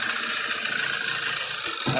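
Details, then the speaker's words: B8 Audi A4 Avant petrol engine, first start after sitting long and timing job, no compression felt by hand: rough, stumbling idle with severe misfire; bent valves suspected, cylinder head rebuild expected. "can't believe this thing is running though it's misfiring pretty bad so that you know we might have a bent valve somewhere"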